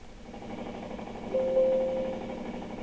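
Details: Electrolux LTR15 top-load washer in spin cycle gives a loud, rough, rapidly pulsing mechanical rumble with a steady mid-pitched hum; cause of the noise undiagnosed.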